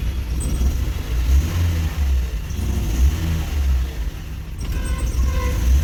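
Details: Toyota automatic gearbox after repair (previously wouldn't engage R or D, D took up late with a jolt): even, low engine rumble holds steady with no clunk, flare or slip; gear now engages immediately and runs normally.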